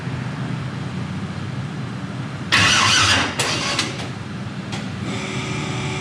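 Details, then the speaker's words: 1000 hp turbo LS-swapped Mustang, first start-up with fuel system newly plumbed: steady starter cranking with a few sputters that almost catch, then stops; cranks but won't start. "Stand by. It sounds like it wants to start. Okay, so that was a plus."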